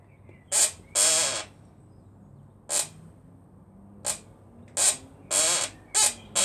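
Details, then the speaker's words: Motorcycle rear shock noise: sharp high-pitched squeaks in bursts, one with each push as the rear is bounced; source low in the rear suspension, not yet located. "Sounds like your parents' bed, doesn't it? I can't see where this squeaking is coming from."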